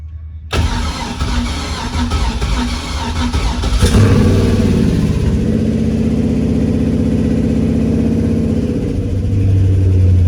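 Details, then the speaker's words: Squareback's replacement stock engine, after a 6.0 L engine seized, first start: cranks and settles to about 650 rpm idle with 39 psi oil pressure. Light, quick ticking over the hum; a couple of lifters are still noisy, probably from sitting. "no badass i don't like how quiet it is now sounds like got a couple lifters are still making noise probably just from it sitting 39 pounds of oil pressure"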